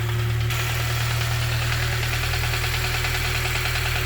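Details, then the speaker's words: K-swapped Honda Civic EP2 after IACV delete, idle hunting slightly: steady idle with a light tick about twice per second over a deep hum, distinct from the injector sound; source unknown. "that is charging well i don't know if this ticking noise is right at all mate [Music] definitely not i can hear the injectors separately so it's a different sound"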